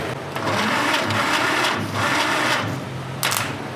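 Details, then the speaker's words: 1947 Willys CJ-2A engine unrun for 30 years, cylinders soaked in Mystery Oil, during compression test: slow, labored cranking surging with each compression, no firing; underpowered from a 12 V battery through 8-gauge jumper cables. "it'd probably go higher but the engine's not cranking very fast because I'm trying to do it off a 12vt battery off of 8 gauge jumper cables"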